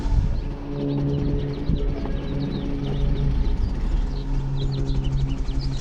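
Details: 2014 Ford Focus, 200k+ miles, rough idle: low slightly uneven hum and drone; code P2111 throttle actuator fault, unresponsive throttle pedal, possible pedal/throttle body misalignment.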